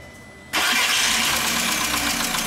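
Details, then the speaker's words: VW Jetta that arrived on a tow truck, just started after an ignition coil swap: busy idle with fast, light ticking from noisy lifters; oil smells strongly of fuel and the car uses a lot of fuel. "ya encendió trae un sonido de punterías pues bastante comprometedor porque ya olimos el aceite y huele mucho pero mucha combustible"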